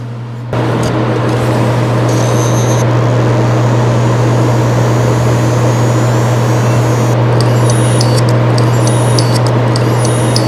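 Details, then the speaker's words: Hard drive at power-on: a steady motor hum after spin-up with repeated knocking about four a second at the end of start-up. The heads fail to finish positioning, indicating slightly deformed heads. "第二段在硬盘启动的末端，硬盘的磁头呢还没有完成定位，有明显的反复的一个敲击的声音。"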